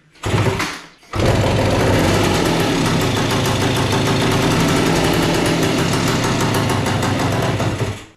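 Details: A 1976 Suzuki TS185 two-stroke dirt bike, sitting for years, makes its first start after a kick with the petcock on and choke position uncertain. It fires into a fast, rough two-stroke buzz with crackle.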